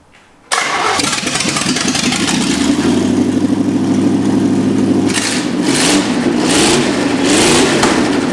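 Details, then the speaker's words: 1963 Chevy C10 small-block V8 with new spark plug wires, temporary rigged wiring and no exhaust fitted yet: it catches at once into an even, lumpy idle, then takes a few clean throttle blips. Normal start and rev. "thank you man every time it just sounds better and better every time we hear it"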